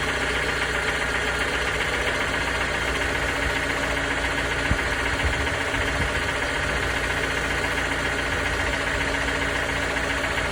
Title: 2019 Toyota RAV4 engine knock sound